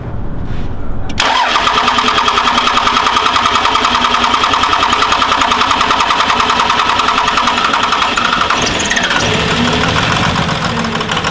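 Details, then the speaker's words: Diesel truck restarted after priming injector lines with the lift pump (fuel bled from injector lines); catches after cranking into a loud, uneven knocking idle about three beats a second, still rough from air in the lines, starting to sound better. "[Music] starting to sound a little bit better I'm gonna run it for a couple minutes now"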